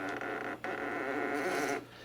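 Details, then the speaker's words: 1966 Panasonic RQ-156S reel-to-reel tape recorder during restoration: soft rubbing drag as the rubber brakes press against the plastic reel spindle on stopping, a normal sound this deck always made when loading tapes. "I was mine the brakes and I saw just rubber and they press up against the plastic spindle inside when it stops so I like how it always made this sound when I loaded the tapes"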